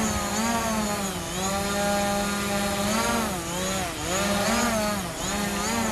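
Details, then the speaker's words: DJI Mavic Pro hovering on stock propellers, rpm holding around 5,570 even when panning or moving forward and back; steady high buzzing whine dipping briefly and recovering in gusts, motors and props normal. "there very little movement in the RPM there even when panning its you know staying around quite 5570 while forwards and back that's the standard props"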